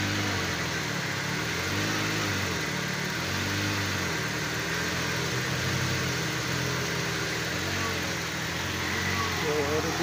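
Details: Vehicle, after charging regulator repair, restarted after overnight parking with battery at 12.4 V and coolant checked: even steady idle, low smooth hum, no knocks, misses or squeals; normal idle.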